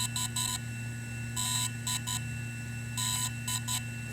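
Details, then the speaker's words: DJI Phantom 3 / Inspire 1 drone battery firmware update complete tone: repeating triple beep groups about every 1.5 s over a steady hum after 3–4 minute update from microSD; power down and swap in next battery. "the firmware update has been completed for the battery power down the Drone pull the battery out and set it aside"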